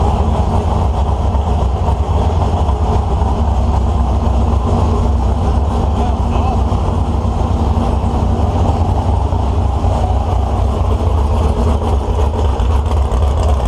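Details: 1970 HEMI V8 on an engine stand, start-up, possibly going in a Cuda: deep, steady rumble holding an even speed with no tapping, knocking or grinding; sounds really good and strong.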